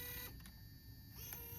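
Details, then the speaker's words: JVC GR-DVM90 MiniDV camcorder bought untested and not cleaned, running fast: very faint, even tape-transport whir with no clicking or knocks; works as expected. "Hear how quiet that transport is. No clicking."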